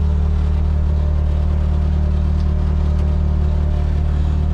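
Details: 1933 Ford rat rod with supercharged LSJ engine, warming up after a Holley 400lph fuel pump install. Steady even low rumble, regular firing beat about three per second, no knocks or misses: normal warm-up idle.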